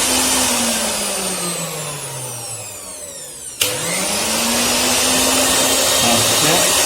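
High motor whine winds down, one click, then spins back up to a steady, even pitch; the grinder motor runs cleanly.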